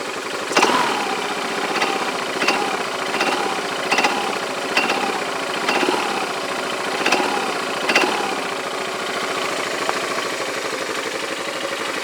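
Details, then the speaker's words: Yamaha Majesty scooter idling about 1100–1200 rpm, rides fine to 90 mph: sharp metal-on-metal clanks about every three-quarters second; owner unsure if normal, suspects clutch area or roller weights in CVT. "when I come down it's like metal-on-metal but that sounds like smelling metal-to-metal"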